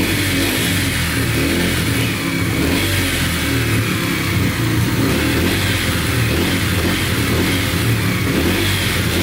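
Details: Yamaha TTR125 dirt bike (believed 2003) after top and bottom end rebuild, following running out of oil; revs smooth and even, steady buzzy exhaust, no ticking or knocking; runs and sounds really good.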